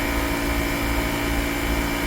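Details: 2010 Mercedes-Benz GL450, about 150,029 miles, after replacing the compressor and the faulty air suspension valve body: the compressor gives a steady hum and constant whine, no knocks, as the right front rises. Pumping fast, a tiny bit loud but normal.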